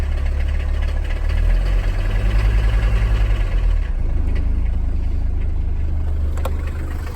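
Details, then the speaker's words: 1981 Mercedes W123 300CD diesel coupe, unstarted 4+ years: uneven idle with loose rattling shake; good oil pressure, owner thinks loose body panels vibrating and probably worn motor mounts. "I think it's just all these body panels and everything is vibrating."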